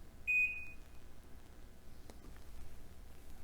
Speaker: Now you can change the sound by pressing the minus button. The range has 3 different buzzer sounds.